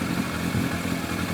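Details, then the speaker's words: Yamaha FZR1000 four-cylinder carbureted motorcycle at idle after balancing the carbs with a Digi Sync gauge, vacuum readings around 58–60; smooth, even idle with steady low hum and no misses, carbs well balanced. "Running a lot smoother now."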